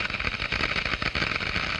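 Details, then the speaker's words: Water flowing through a glass venturi: as flow rate rises, the water boils at room temperature in the low-pressure throat, and the vapor bubbles collapse in the higher-pressure diffuser, giving a dense crackling hiss with rapid irregular pops. "noise is generated by the collapse of these problems as they move into the higher pressure in the diffuser"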